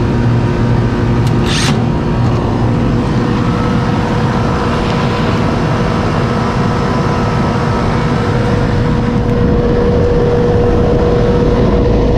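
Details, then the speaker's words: Outdoor AC unit after the contactor pulled in, capacitor checked: loud, steady low drone with the fan rushing over it and no clatter or stalling; compressor now running normally. "let's see if we start oh that sounds better sounds like I got a compressor now oh yeah"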